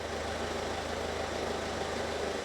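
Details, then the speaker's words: 2017 Citroen Berlingo 1.6 diesel, freshly started after oil and filter change, left ticking over unrevved: steady even tick-over, smooth low hum, no knocks or misses; normal idle. "Just let it tick over. It's not a good idea to rev an engine that's just been started up."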